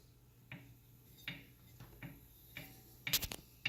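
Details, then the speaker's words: 2018 Wahoo Kickr trainer after tightening the flywheel bolt (5 mm): light irregular ticks and creaks about twice a second from the flywheel mount persist; actual cause was a slightly undersized flywheel key. "Oh, it's still making noise."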